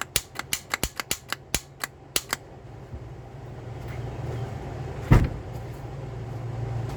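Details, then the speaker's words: 2002 Toyota Solara SLE with starter problem: about ten sharp clicks roughly four per second then only a low hum, engine won't turn over; solenoid engages but starter won't crank, owner suspects bad solenoid/starter. "I'm gonna bang on it and maybe I can get this freaking thing to start but I'm by myself so maybe I can bang on it and get it started but it seemed like the solenoids just jacked up"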